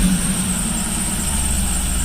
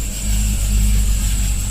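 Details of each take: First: Supercharged Cadillac CTS-V after the grounded cylinder 7 plug wire was fixed: even low idle rumble with no misfire stumble, runs smoothly. The belt squeal has returned and the tensioner is suspected. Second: Cadillac CTS-V with a flashing check engine light and a cylinder 7 misfire code after a popping sound: heavy, lumpy V8 rumble with an uneven beat. The spark plug wire is grounding out on the headers.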